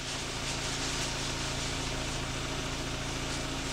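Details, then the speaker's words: Volkswagen Beetle after head gasket and timing belt replacement, recorded near the tailpipe: exhaust burbles in a steady, even idle rhythm with no skips or stumbles; no misfire, running far better than before the repair. "let's listen to that sound cuz you know if this got a misfire you guys can hear"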